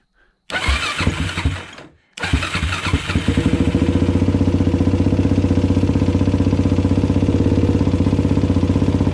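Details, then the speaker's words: Suzuki LTZ400 after checking and adjusting the valve clearances: fires after a couple of tries and settles into a fast idle with a steady clacking running through it. Engine clatter; the source remains unknown. "yes it's still clacka clack in there but anyway that's that you guys"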